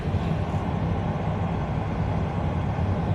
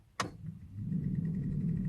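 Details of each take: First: 1997 Vectra B cabin blower on maximum after removing a leaf stuck in the fan: a steady, even low whoosh with no rubbing or ticking. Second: 1997 Opel Vectra B interior ventilation: a switch click, then rising blower hum with light ticking, from debris (a leaf) caught in the blower fan.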